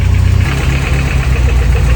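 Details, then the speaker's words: 1993 Volvo 245 turbo-swap wagon with a fuel problem, fuel pressure regulator vacuum line plugged. Uneven, lumpy idle with a stumbling low beat and irregular firing, with piston slap noted. Rough running. "While messing around with the fuel pressure regulator, I pull the vacuum line off and I plug the vacuum line and it acts like it doesn't want to run. I think we found a problem."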